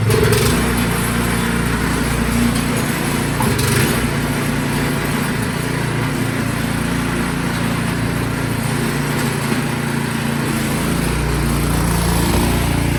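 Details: Craftsman snowblower after its gunked carburetor was cleaned, test-run before full reassembly: small single-cylinder engine at steady speed with an even exhaust beat, no misses or surging, sounding healthy.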